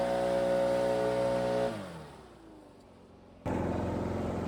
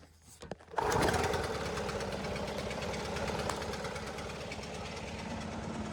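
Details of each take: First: Stihl two-stroke backpack blower that bogged at full throttle, after turning the high-speed carb screw out in quarter turns: steady high scream falls away when the throttle closes, then snaps straight back up without stumbling; clean throttle response restored. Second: Stihl two-stroke backpack blower starts and idles, then bogs and stumbles at full throttle, never did before.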